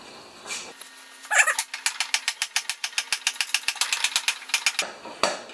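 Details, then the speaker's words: Honda HRA214 lawn mower: a thin, tinny clatter of quick light ticks, about four or five a second, that sounds like tin rather than engine. Owner suspects the clutch, metal rear baffle or grass scraper. Metallic rattle. "okay that horrible rattle uh sometimes I think it's sometimes I think it's the clutch and sometimes I think it's that metal baffle I got on the back there or the grass scraper I don't know"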